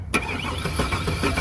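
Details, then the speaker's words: 2002 Chevy Silverado that won't start, cranking with finger over spark plug hole: starter spins fast and light with faint even chuffs, no compression, no firing; suspected jumped timing chain, not confirmed. "See? And no compression. Nada."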